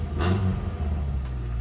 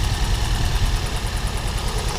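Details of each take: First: Engine after water-blasting the engine bay and spark plug testing: catches with a brief rough burst, then settles into a steady, even idle with no misfire; running normally. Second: Four-cylinder car after an engine-bay wash: low idle shakes and stumbles unevenly instead of pulsing steadily. Misfire, leaving a dead cylinder.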